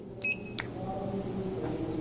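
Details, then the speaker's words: Insulation tester at 3.0 setting with brush electrode on an instrument handle: sharp high beeps in short bursts, arcing through numerous pinhole insulation breaks. "and you can hear there's just numerous breaks in this specific handle with this accessory"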